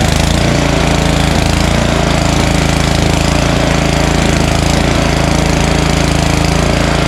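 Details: Snowblower small single-cylinder, primed and choked, chugging steadily at high throttle with a firm even beat while being run dry on its last fuel before storage; running normally.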